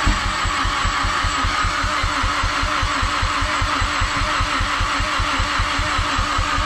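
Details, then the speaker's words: Mazdaspeed6 after new PCM and two keys programmed without the dealer: steady starter cranking at four to five beats a second, every few revolutions almost kicks but never catches; crank no start. "Starting to crank again, and we noticed like how it's been doing that well, now it's getting like every few revolutions it's doing like a so it like almost sounds like it wants to kick, but it's like a half step off."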